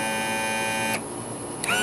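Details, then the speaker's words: 2000 Honda 50 hp outboard, new Sierra tilt/trim motor installed, tested with engine switch: steady, high electric-motor whine that runs, stops briefly and restarts at the same pitch; tilt motor healthy. "so I connected put the connector back in and I'm using the switch on the engine here and getting a lot of movement"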